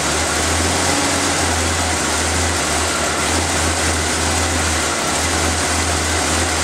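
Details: Engine started after reinstalling the valve cover, vacuum line clip, air filter and cover, to listen for leak hissing; settles into an even steady idle with no hissing or sucking underneath. Normal idle, no vacuum leak.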